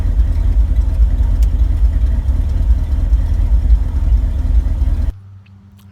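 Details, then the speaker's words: 1974 Ford F-350 V8, crushed by a tree and long unused, idling: deep even rumble, no knocks or misses, good oil pressure, then shut off; exhaust leak in the pipe near the manifold and leaking accelerator pump noted. "I can't believe it still runs still sounds good [Music] too and still has good oil pressure idling"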